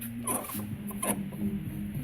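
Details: 1998 GMC K1500 4x4 heater blower motor turned by hand, high chirping squeaks over a low whirring hum from a worn bearing; the fan had seized at times, not turning on full blast until kicked.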